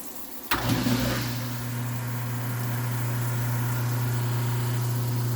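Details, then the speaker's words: Garbage disposal after wiring a wall switch to it; earlier wrong wiring, switch to hot and neutral, tripped the breaker. A click, then a steady low hum that settles and holds even; the motor spins up and runs smoothly. "This is the sound of success."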